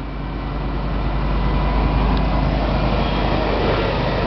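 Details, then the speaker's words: Chevy 4x4 that has been sitting a while, started on its old battery: it starts right up and the engine settles into a steady, even low rumble with no misses or knocks. Normal healthy idle. "4X four sitting for a while it starts right up Good Old Reliable shev"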